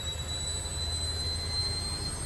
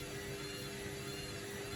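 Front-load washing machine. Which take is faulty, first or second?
second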